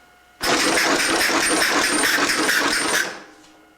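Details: Homemade compressed-air Torquerack engine (rack-and-pinion crankshaft substitute, four-way valve), restarted at 50 psi after stalling: quick even chuffing bursts run steadily for a few seconds then stop; engine running properly.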